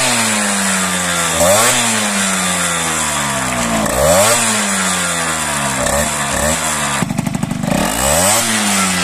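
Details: Piaggio Ciao 50cc Athena two-stroke, airbox with vacuum-hose intake tube routed outside to avoid a resonance chamber: buzzy engine rising and falling with throttle blips, picks up cleanly with no misfire or rattle; intake well behaved.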